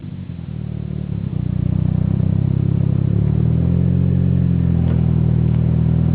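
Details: 600bhp Mitsubishi Evo 8 MR with a lumpy low rumble climbing as revs build, with irregular cracks and pops about three or four a second from anti-lag or misfire.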